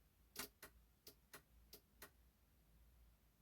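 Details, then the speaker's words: BMW E46 with the ignition in position one; the purple and green horn wires are touched together and the horn relay clicks in pairs, but the horns stay silent. "okay so the horn relay is activating i don't know if you can hear it can you hear it clicking"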